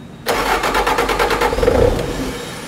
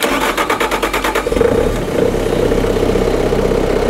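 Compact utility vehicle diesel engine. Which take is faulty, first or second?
first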